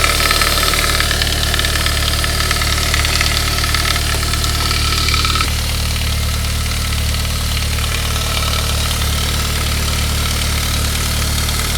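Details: 1999 Saab 9-3 2.0/2.3 turbo, 110,000 miles, right after a head gasket job: cold-start idle with a fast, light metallic rattle that fades within minutes as the engine warms. Cause was the hardened, shrunken valve-cover upper timing chain guide; replacing it cured it, and the chains were fine.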